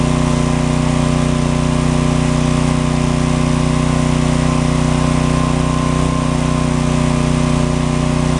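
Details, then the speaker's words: John Deere/Briggs & Stratton 4000-watt generator after magneto coil repair, started on choke: loud, even, steady engine drone with constant low throb, no misses or knocks; runs properly, though outlets have no output from a failed GFCI receptacle. "noisy but we got her working"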